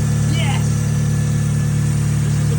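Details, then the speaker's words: NB Miata project car after crank sensor and crank bolt work: steady, even low rumble with no wobble, miss or knock. The engine now runs right with its power back and no lag. "That That sounds right. It don't sound laggy."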